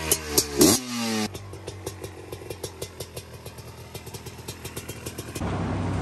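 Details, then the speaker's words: Old Yamaha Raptor 660 ATV, reluctant to start, fresh battery fitted: slow, lumpy single-cylinder thumping that only keeps running with the choke on; the carburetor is known to be dirty and will be cleaned, so a fuel-mixture cause is suspected. "Well, it runs with the choke on. Yeah. No. We're going to clean the carb on it too because we know it's nasty."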